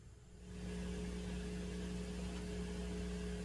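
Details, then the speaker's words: Turntable phono chain: a low, steady mains-type hum with faint hiss and no needle noise. The hiss is normal for a phono preamp; the owner attributes the hum to the moving coil cartridge pickup. The cause is not confirmed. "That hum. The hiss, that's pretty normal with any phono preamp. The hum, that's due to the moving coil cartridge."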